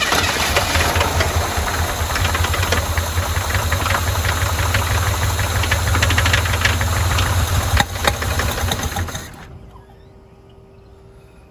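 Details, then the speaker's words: 1981 Chevy K10 square body, neglected and vandalized, run briefly with fuel pump hooked up and a fuel leak; rough, loud running with fast uneven ticking about three per second and backfire pops, suspected valvetrain issue, then shuts off. "little backfiring. definitely got some kind of valve train issue going on here."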